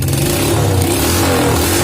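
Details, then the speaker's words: First-generation Honda Supra Fit motorcycle, previously misfiring when revved and hard-starting when hot, after valve adjustment and reassembly: throttle blips rise and fall cleanly with an even exhaust note, no stumbling or popping; revving normal, hot behaviour untested. "Kemudian geberannya nggak kayak tadi. Kalau tadi berebet-berebet di geber, ini normal dan oke, udah normal."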